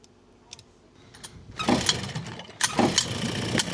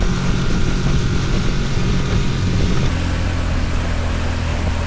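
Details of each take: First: Vintage outboard motor on a free abandoned boat, run in 100-degree heat after a last-ditch needle fix: it catches and runs ragged with irregular pops and stumbles; first thought to be backfiring, now clearly worse. Engine misfire. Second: 5 horsepower outboard on a 1963 14-ft Sea King boat rescued after long abandonment: a steady, even low drone holding one speed for ten seconds with no misses or knocks; running normally under way.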